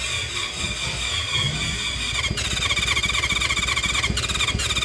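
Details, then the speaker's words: 1970s Honda CB550 or Kawasaki KZ650 four-cylinder sat for years, cranked with starting spray, tried choke and no choke: quick even turnover about four pulses a second but never fires; compression later found present in cylinders one and four. "Come on. Ah, nothing. Nothing. Let's pull the spark plug and check compression."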